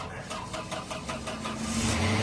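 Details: 1992 Citroen XM barn find with a PRV engine, off the road for years, first start after the shop revived it, coolant and oil full. Short rhythmic cranking catches and settles into a steady run within about two seconds: a normal start.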